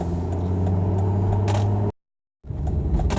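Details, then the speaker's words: Volvo XC90 T5 idling after the misfire repair: a low, even rumble with a steady beat and no stumbles or skips. The misfire is fixed and it idles smoothly. "No more Missfire. Imagine that. I'm happy that it's fixed."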